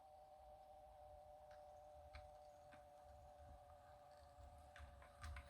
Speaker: we're going to reverse you can hear the that motor humming a little bit but drivetrain gear wise super quiet